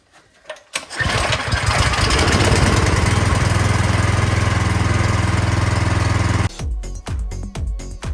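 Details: 26-inch Troy-Bilt snowblower that would not start, after a carburetor cleaning; primed with no choke. It fires and settles into a steady, even chug with a quick beat and no misses; it runs properly.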